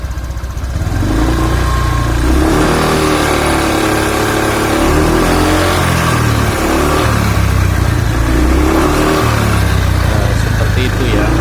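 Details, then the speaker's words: Honda Vario scooter revving up and down with a deep rough growl under throttle, fine at idle, CVT already checked with no problem. "tentang Vario suara ng teman-teman eh Padahal di bagian CVT sudah dicek semua tidak ada masalah suaranya seperti ini teman-teman"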